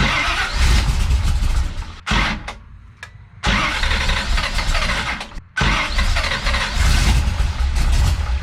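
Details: Big-cam big block Chevy with a rebuilt Holley 750 Double Pumper, holes drilled in the throttle butterflies, base settings: catches roughly, stumbles and nearly dies twice, surging without settling. It is a hard start with a rough idle.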